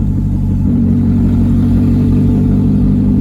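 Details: 1999 Mazda Miata (NB), bone stock, sitting 8 years, just revived on old fuel: deep, loud, steady, unmuffled burbling rumble; exhaust suspected to be missing catalytic converters, unconfirmed; loud exhaust.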